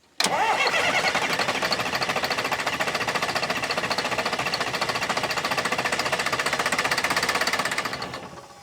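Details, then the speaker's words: Diesel sawmill wheel loader sat 20 years, bleeding fuel system: starter churns at steady rhythm about eight seconds with no firing, then winds down; suspected no fuel/air in lines. "I don't think we're getting any fuel."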